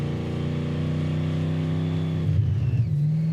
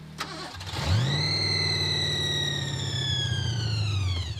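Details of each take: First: '86 Thunderbird with 302 V8, 6-71 blower and welded gears, on a winter road trip: a steady, even V8 burble with a brief dip and recovery after warming up; runs normally when warm. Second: '86 Thunderbird with supercharged 302 V8 (6-71 blower) at about 0°F on a road trip after dying and leaking oil: starter whirs, engine catches briefly then dies; suspected out of gas, running only off accelerator pump.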